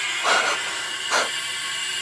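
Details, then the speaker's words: Evo 8 4G63 engine, warm, leakdown test at top dead center: constant loud hiss of escaping air with surges. One cylinder leaks super badly, another is less bad. Piston damage is suspected and the head is coming off. "yeah you hear that way more than anything else yeah so that one's not as bad but this is this is super bad"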